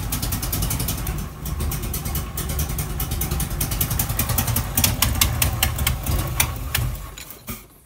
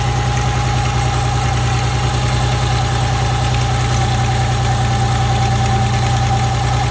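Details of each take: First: Nissan Z31 300ZX engine after teardown and reassembly, running rough with a loud hissing rush before dropping to idle; air leaking out the side of the intake manifold from a couple of bolts left loose. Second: Nissan Z31 300ZX engine after teardown and retightening of loose intake manifold bolts; steady, even idle with a low thrum and faint regular pulse, no knocks or misses.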